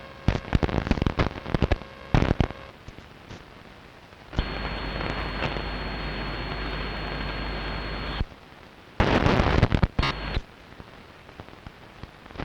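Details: Strange noise on long wave radio, recorded 0134 UTC 06.06.2012 with DSL modem and router off, not from the home: irregular crackling bursts, then steady buzzing hiss for about four seconds before crackles return; interference of unknown origin.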